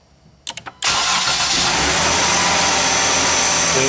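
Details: 2011 Dodge Durango with the TIPM fuel pump relay bypassed by a cable feeding the fuel pump from the rear cigarette lighter circuit. A few clicks, a quick crank, then it catches at once into a steady, even run.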